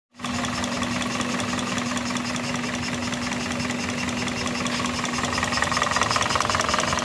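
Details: Toyota engine with misfire and vibration: uneven idle with irregular stumble two or three times a second under steady hum; misfire suspected, not confirmed.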